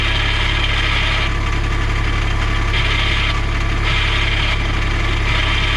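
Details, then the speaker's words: 2010 Cushman Truckster diesel with dump body, 2,120 hours, in first gear with clutch: steady diesel drone under a harsh rasping grind swelling about every second; vehicle won't move, seller suspects clutch rather than rear end, unconfirmed. "I'm in reverse. Noise is coming from the clutch, so not sure it needs a rear end. It needs repairs, guys."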